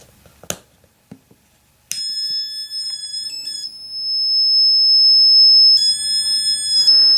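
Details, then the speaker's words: Shadow detector beam-break alarm aimed at a red laser about six feet away: high electronic tones cutting in and out and jumping in pitch with no steady pattern; erratic beeping. "light again nothing even the tone is sporadic and we're pointed directly at the red light there it's about six feet away"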